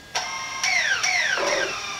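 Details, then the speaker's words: DJI Phantom 4 Pro drone after reverting to older firmware V01.01.0203: motors start with clean gliding chirps settling to a smooth, stable hum, no longer the click-click-click heard on startup before the firmware rollback; normal motor start. "That sounds perfectly normal. Before it made this click click click click once it starts back up. That wasn't normal. The motor sound a little bit smooth."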